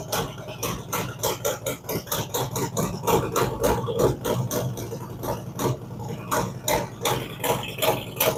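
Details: Freshly built V-twin on fire-up, ThunderMax initial idle tune enriching while cold; slow loping beat with loud uneven pulses, rich and a bit lumpy, no knocking; normal cold warm-up idle.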